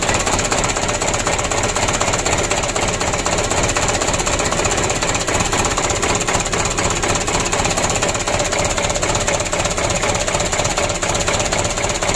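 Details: 2007 Mitsubishi Canter 125 diesel just after engine rebuild, first start: steady clatter about four beats a second, slightly uneven and shaky; idle speed set too low, to be raised after warm-up.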